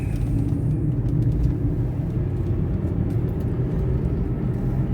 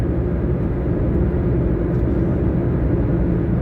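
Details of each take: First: Taxi at cruising speed with a wheel bearing the driver says is getting worse and fears losing a wheel. Deep constant hum heavier than normal tyre roar, like a propeller plane sound effect in a movie; failing wheel bearing drone. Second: Taxi cruising down the road the day after wheel bearing replacement: steady even road rumble with no hum, growl or whir; repaired wheel bearing now quiet and normal.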